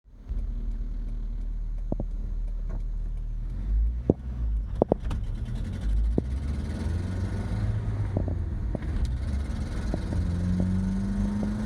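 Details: 1986 Mazda B2000 SE-5 pickup pulling away: a loud, coarse, unmuffled low rumble under the truck that rises with revs, from a horrendous exhaust leak; the driver's fingers were numb after a 10-minute test drive.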